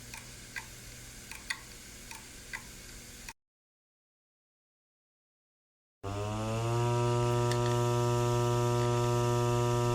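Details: Hard drive: sharp, dry repeating clicks over a faint hum, then after a pause the drive spins up to a steady whine.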